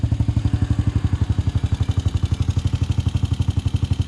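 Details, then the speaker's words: 2006 Honda TRX250EX after top-end rebuild (new cylinder) and fresh 10W40 oil: steady, even thumping idle with a crisp regular beat, no knocks, rattles or misses; sounds healthier, running cleanly. "These four-wheelers, these TRX 250 EXs, take 10W40. It sounds healthier."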